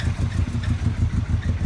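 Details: Volkswagen Passat in neutral idling lumpy with uneven low thumps about five a second and occasional stumbles; misfire suspected, coil packs being disconnected one by one to find it.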